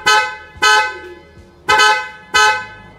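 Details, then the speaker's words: Honda Brio upgraded from single horn to dual horns wired through relay and fused battery feed: four loud clear two-tone blasts about half a second each, steady pitch, BMW/European-like. Normal horn operation. "Sekarang mari kita uji bagaimana bunyinya. Rasanya seperti di Eropa, kawan-kawan."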